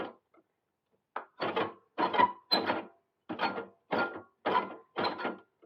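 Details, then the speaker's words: Qualcast mower with Tecumseh engine, cutting cylinder turned by hand after adjusting blades: rough scraping bursts about twice a second as the reel grates on the bottom blade. "Take it a couple of turns on that side, and you will start to hear it grate. So it's now catching. I think it's catching on that side."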